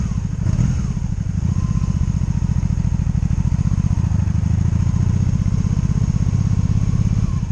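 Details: 2002 Honda Magna VF750C V4 during a rebuild, first warm road test running non-stop with no ignition cuts or bucking; transmission jerky. A steady, even burble under way, with no misses, cuts or surging. Normal running.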